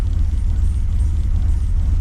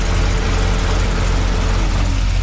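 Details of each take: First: Holden VX SS Commodore with rebuilt 4L60E, in Drive with foot on brake, wheels stopped; deep slow rumble, idle too low around 600 rpm; owner expects a tune will fix it. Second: Holden VX SS Commodore V8 with home-rebuilt 4L60E automatic, warm after running through all gears, during leak check underneath; deep even burble, no knocks, ticks or misses; smooth healthy idle.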